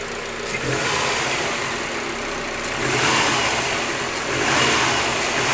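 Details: Subaru WRX with a new short block, 600 miles on the build, revving up and settling back with a light tapping under the exhaust note; owner suspects piston slap, not confirmed.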